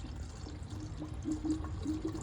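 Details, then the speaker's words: 5.7 Hemi cooling system being bled while filling the coolant reservoir: watery gurgling and bubbling as coolant pushes trapped air out of the engine. "hear it here it comes I can't see it but I can hear it the fluid is pushing the air out"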